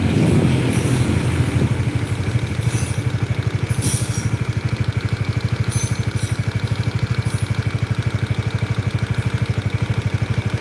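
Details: Honda CBR motorcycle at idle: steady, consistent rhythmic clacking knock from the cylinder, a loose piston slapping a worn bore.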